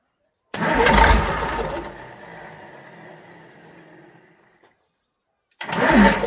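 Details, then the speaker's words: Fordson Major Perkins V8 diesel just revived after a long lay-up, string rope used as throttle: catches and roars briefly, revs sag and it dies within seconds before recranking; tick-over set too low, adjusted, then runs and drives. "We need all that tick over. We're just going to alter the tick over and try again."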